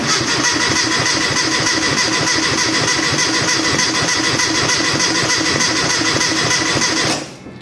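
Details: Classic Mini after fitting a mechanical fuel pump (possibly needing a spacer): starter churns evenly about 200 rpm for seven seconds without firing; cranks but won't start, still not drawing fuel.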